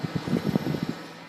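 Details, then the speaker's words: 16-year-old computer case fan running without the side panel, used to replace a fan with a broken blade: a rough low thrumming that pulses about nine times a second, then fades; a noisy case fan. "it's a really old fan it's about 16 years old so I'm actually gonna plug it in because why not that 16 year old fan is a it's pretty loud"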